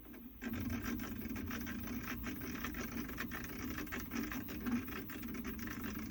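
Printer motion gives a raspy rubbing with irregular sharp clicks scattered through the moves, pointing to the X axis; cause undetermined.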